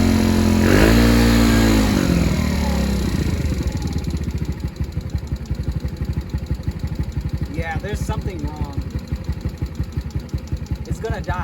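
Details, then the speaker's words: Recovered stolen moped, cold at about 42°F after starting; engine flares briefly then sags into slow uneven chuffing that keeps fading near stall; owner says something is wrong, planning complete rebuild. "oh it sounds bad though there is something wrong"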